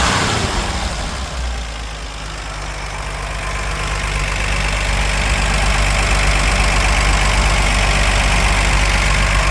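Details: Normal idle of a 1964 Ford F100 old inline six with solid lifters: even idle, light steady valvetrain tick over a low rumble; sounds healthy.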